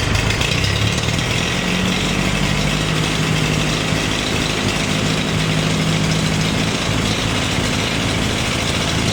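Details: Farmall 350 diesel tractor, freshly reassembled, block warm but temperature gauge low (owner unsure if thermostat missing or bad): rough clattery idle with uneven beat, like a cylinder not pulling, sounds like a miss; cracking number one injector didn't change the tone; lugged hard in 5th it fires on all four.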